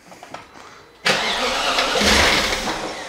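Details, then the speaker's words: BMW E38 with a freshly swapped-in 4.6 engine, fuel pump fuse pulled, cranked before the first start to build oil pressure: a quiet second, then loud churning as the starter spins it briefly without firing. No start, as intended. "first of all i'm going to pump the oil crank it to pump the wheel up and then put a fuel fuel pump fuse back and try to start it"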